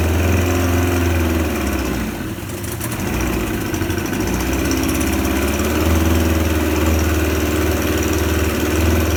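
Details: Suzuki 25HP outboard after repair, running in a test tank: strong, even run with a steady low beat and water mixing, no knocks or misses; normal running.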